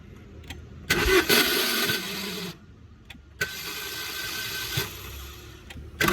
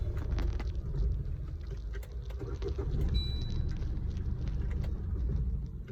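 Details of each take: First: Swift Dzire (tagged diesel) failing to start in the morning: bursts of starter whirring and clatter with dropouts, engine never catches; starter motor failing to crank. It was push-started, then a mechanic began taking it apart. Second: Maruti Swift Dzire diesel after starter motor replacement, previously would not start and had to be push-started: quick crank, catches and settles to low steady idle clatter without grinding; starter engaging properly.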